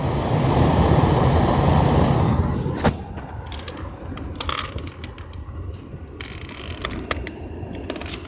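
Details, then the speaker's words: 2004 Pontiac Grand Prix GT 3.8, new blower motor after air stopped blowing: strong steady rush of air then clicks and handling; blower working normally after replacement. "Oh we have air and it's actually strong air don't know if you can hear it"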